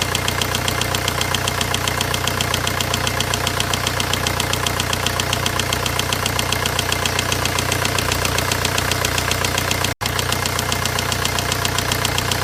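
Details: VW 1.9 engine at idle: sharp, steady ticking knock about two and a half per second, evenly spaced and clear above the engine note; engine knocking.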